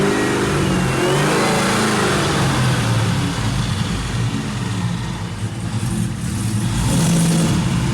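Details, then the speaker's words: 1967 Chevrolet Camaro with LT4 swap and brand-new exhaust, in neutral with driveshaft disconnected; deep V8 rumble held at raised speed with uneven beat, vibration and some smoke, won't drop idle; high idle, possibly misfire or intake, cause unconfirmed. "Sounds good. It don't want to drop the idle down."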